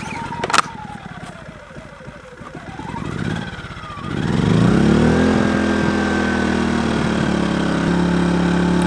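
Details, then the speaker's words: Kings 2kVA generator on its second start ever, choke used, economy mode off, connected to a caravan with no load yet: start-up clatter settles into a steady, even hum with no surging. Normal idle. "I've got the generator going it's not on economy mode or anything uh it's connected to the Caravan"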